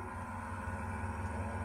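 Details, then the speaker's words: Desktop PC tower: constant loud whirring hum with a low drone, from the dust-clogged CPU cooler fan; cleaning out the dust is the fix. "enfin avec n'importe quel tour au bout d'un moment ils prennent la poussière et le le ventilot qui a dedans le ventilage ventilo on va dire la partie où il y a le processeur du coup va avoir tendance à faire pas mal de bruit"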